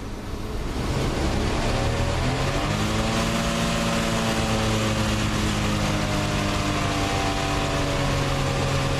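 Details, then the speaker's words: 1987 Plymouth Gran Fury, carbureted, with a suspected fuel starvation problem, held at steady throttle after the evap canister lines were checked. Engine note climbs and sags in slow waves by itself; engine surging and stalling. "now when you hear this thing when it sounds like the engines like I'm revving it up and then it goes like the speeds engine please going back back now that's doing that itself"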